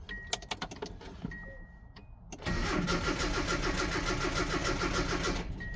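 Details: 1986 Nissan pickup farm truck, 249,830 miles, sat in a field after fuel problems; after a few clicks the starter cranks strongly and evenly, about 3.5 turns a second, but never catches; cranks but won't start.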